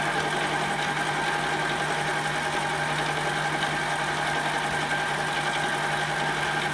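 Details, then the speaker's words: Metal mini lathe turning aluminum, about 30 thousandths to a shoulder, tool post would not tighten and no outboard support: steady high ringing tone over the cutting noise, heavy tool chatter. "there is a lot of chatter in there you can hear it if I had some support out here we'd probably do better"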